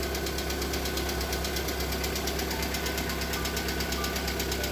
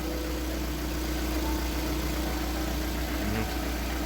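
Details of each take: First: Lada Priora with a 126 engine, cold start running on flushing oil after about two minutes: loud, fast, even hydraulic lifter ticking over the idle. The ticking stopped after about five minutes. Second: VAZ Priora 126 engine idling after about five minutes warm-up on flushing oil: steady even hum, hydraulic lifters no longer tapping, though they knocked hard when cold.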